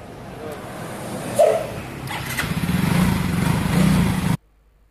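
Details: Yamaha Mio Soul GT freshly bored up to 150 cc with Sonic piston, valves just adjusted, first start: catches, then a steady even buzz for a couple of seconds before cutting; healthy idle.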